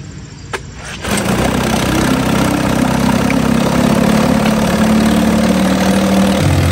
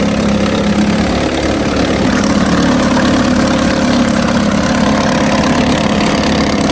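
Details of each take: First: 1950 Johnson HD 25 2.5 hp two-stroke outboard, run in a water bucket after carburetor adjustment: catches, then an uneven hunting beat and sag, won't idle at the very lowest; owner suspects the points need cleaning. Rough low idle. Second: 1950 Johnson HD 25 2.5 hp two-stroke outboard, first start after long disuse, carburetor adjusted: steady, even buzz without stumbling or misfires, pumping water well. Won't idle at the very lowest, points to be cleaned later; otherwise runs well.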